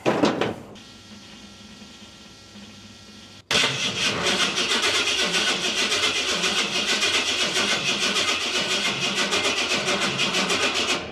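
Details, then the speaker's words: Big block pickup with no fuel pressure while cranking (ECM-run pump cutting prime): steady, laboured cranking about four beats a second that never catches, voltage suspected of dropping below 10 V on a small battery; suspected slow crank from low battery voltage. "oh boy I think the voltage is dropping below 10 and it doesn't like it this little battery here she may not be enough"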